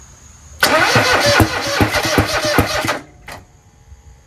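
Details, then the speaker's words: Kohler 26.5 EFI ECV749 V-twin on a Toro Z-Master 5000, freshly rebuilt, cranked after a backfire that blew smoke from the air cleaner; quick, lumpy cranking with an irregular hollow beat and no firing; owner suspects bent pushrods keeping valves shut. "I'm sure you guys would agree that it sounded different after it popped. That sound afterwards sounds like what was going on with my other tractor, the DLT 2000."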